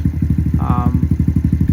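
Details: Semi-auto pit bike with new Amazon carburetor, air-fuel screw 1.5 turns out, idle set after a short ride: small single thumps at a steady even beat, about ten a second, no misses or clatter; good idle.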